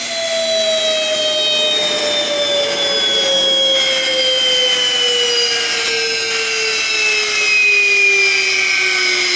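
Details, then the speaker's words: Fischer Dottikon 7" x 59" center hole grinding machine, air spindle winding down under braking: high smooth whine slowly falling in pitch, even and steady with no rubbing or rattle; spindle sounds fine. "Works pretty good. Sounds good too."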